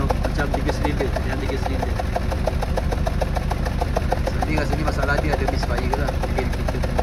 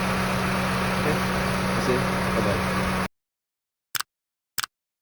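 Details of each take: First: Honda Civic FD 1.8: engine shakes suddenly when stopped, runs rough and loses power; uneven, lumpy idle with irregular ticking pulses about three per second stumbling out of rhythm, a misfire from a faulty ignition coil. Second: Honda Civic FD 1.8 at idle: steady, even low drone with no stumble for about three seconds before it cuts off; smooth, normal idle.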